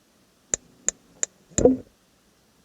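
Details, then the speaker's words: Dometic 2652 RV refrigerator in a travel trailer, running on propane (works fine on electric): sharp even clicks about three a second, a brief whoosh, then clicking again; igniter repeatedly sparks. "now the problem part which is propane fired on propane that's right that's the magic you want that but the problem is when we're out camping it would sound like this"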